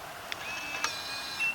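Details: Latch.It keyless RV camper door lock (V2.1), during key fob relearn programming: a few short, high, clean chirps with gaps between them. This is the lock's acknowledgment beep, and it is working normally.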